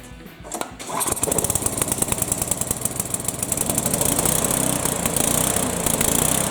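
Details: Tecumseh horizontal-shaft small engine started on choke after governor adjustment: catches after a couple of pulls, then settles into a steady, even rapid beat with no misses or hunting; normal running.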